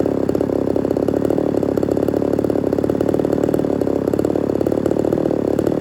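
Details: Ported Homelite Super XL-130 chainsaw on its final test run: quick, even two-stroke burble at steady, slightly rich idle, no surging or dying; normal idle, oil and running good.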